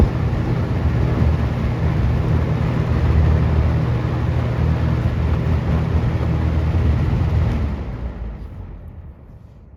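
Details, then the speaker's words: Galaxy 6708 fan with shaft end play needing thrust washers, test run: steady low drone with loose buzzing flutter about three times a second until switched off; vibrating badly, owner suspects partly the blades, heard as loose grille rattle. "I think it's partly the blades blades are making noise cu the air it's vibrating pretty bad here hear the vibrating"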